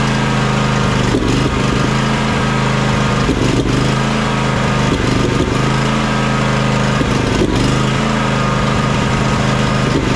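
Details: John Deere X300 riding mower twin engine that ran rough, surged and died at full throttle, after fixing the choke and carburetor issue: steady, even run with a smooth low drone, no surging, misses or dying out; normal running.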